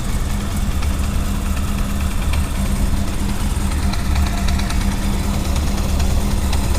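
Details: 2000 Honda CB400SF motorcycle just after cold start: steady low idle with a faint, uneven metallic rattle and ticking that goes away after about a minute; owner unsure if normal.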